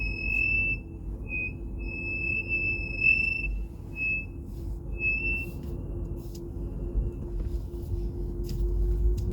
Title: tesla brake noise